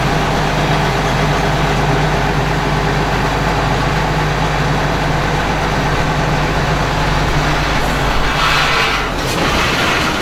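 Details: Combine harvester after repair with new shaft bearings, part from an older 2388 series: heavy steady diesel rumble with even mechanical whir, no grinding or knocking; runs smoothly.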